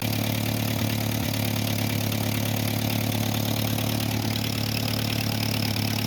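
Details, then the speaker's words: 1949 Ford 8N flathead tractor idling unevenly with a sharp puffing tick on each firing stroke. A suspected exhaust leak, possibly at the flange, which is known to be leaking. "Sounds like there might be an exhaust leak. I know that flange is leaking though. Maybe that's just it."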